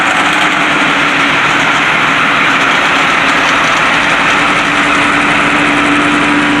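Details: White 4-175 tractor diesel idling after its first start following rear main frame repairs and priming. Steady, unchanging note with an even, busy idle rhythm and no knocks or misses; normal idle.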